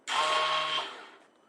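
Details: 2008 Yamaha R1 starter button pressed: brief steady electric buzz but engine never turns over, a stuck starter motor; temporary fix by rocking the bike in gear to turn the engine, then starting in neutral.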